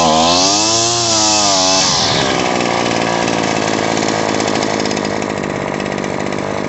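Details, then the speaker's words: Shindaiwa T261 trimmer engine: the high rev collapses into a rough, sputtering drone when the throttle is squeezed, a bog from a lean mixture. Turning the carburetor's high-speed screw counterclockwise, less than a quarter turn, fixes it. "So what we're gonna do, since it bogs when I squeeze the throttle, is when I'm squeezing the throttle and it's kind of bogging out, I'm gonna turn this counterclockwise."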